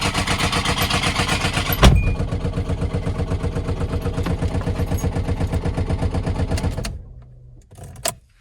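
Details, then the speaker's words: Hyundai Elantra engine knocking at idle at a light: steady, even knock about four per second until shutdown; motor considered gone, blamed on skipped oil changes. "It's a wrap, guys. This thing knocking at the light. Knocking at the light."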